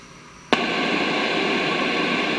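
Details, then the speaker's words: 1971 JCPenney 1758 stereo, traced with a 1950s tube signal tracer: silence, then steady loud hiss when the probe touches the emitter and collector of transistor 26, identifying that stage as the noise source. "there we go there's our noise so i'm getting that on both the emitter and the collector of 26."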